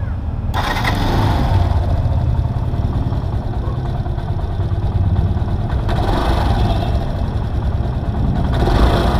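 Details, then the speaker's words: Yamaha YTX motorcycle after repair: the three broken Bendix drive bolts on the magneto side were replaced; the engine now idles smoothly and evenly with a few light throttle blips, no knocking, rattling or grinding. "boss wala naong maingay maraming salamat"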